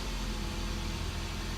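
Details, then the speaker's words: Idle after throttle body carbon cleaning: steady low drone, no misses or knocks, even and settled; engine idling smoothly. "all right so here goes we're gonna turn it on we're gonna see when this rpm is gonna be high"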